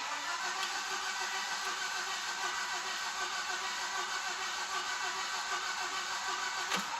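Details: 2005 Volvo XC70 with cam/crank timing correlation codes and timing belt condition in question: several seconds of steady, even starter cranking that never fires. Crank no start, cause suspected, not confirmed.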